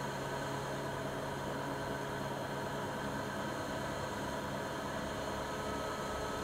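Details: Siemens iQ300 WG41A1X1TR washer (9 kg, 1000 rpm) on the spin program, rated 72 dB in spin and 48 dB in wash. A smooth, steady hum with an even low tone and no knocks or grinding; the spin is normal, though not silent.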